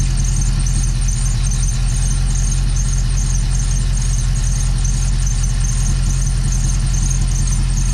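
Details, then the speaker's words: Dodge Dakota R/T with 5.9L Magnum V8, after new spark plugs and an exhaust leak seal. A constant shrill belt squeal sits over a lumpy, uneven idle with a persistent miss. An injector unplugging test points to a possibly bad cylinder 5 injector, unconfirmed. "Also, the belt is squealing, but I don't care because once we put the Pro Charger on, we're not gonna have that same belt on."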